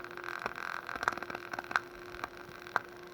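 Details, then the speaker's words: Harley-Davidson radio audio amplifier, part number 76192-98, after input capacitors replaced: irregular sharp clicks and crackles over steady hiss and faint tone on both channels, worsening as it runs; amplifier clicking and crackle, cause not yet found. "so this side i have the sound but there is just a little clicking on it but this this side here i got the sound in the first but it start clicking just clicking all over"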